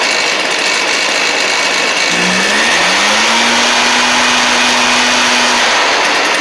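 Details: Stihl BR420C two-stroke blower after a Hipa carb kit; sat 6–8 months, a shop blamed low compression, but likely flooding or not getting enough gas: picks up smoothly, settles into an even high drone without stumbling; carburetion healthy.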